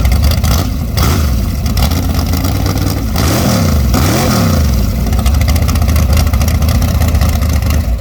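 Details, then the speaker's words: Short-stroke twin-turbo-build big-block Chevy, first fire-up at 18°F, no coolant yet, unboosted, revved to 6,000 rpm: flat, soggy note on blips, super lean; carburetor too small with insufficient pump shot. "She sounds a little soggy, but that carburetor is not built for that combo. It needs a much bigger carburetor with much bigger pump shot. You can hear it's super lean."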